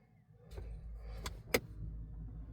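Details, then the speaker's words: Ford electronic parking brake taken out of maintenance mode, then cycled on and off: short motor whirs with crisp clicks as the brake applies and releases over a quiet idle rumble. Working normally. "Key off, key on. And you could hear the parking brake work."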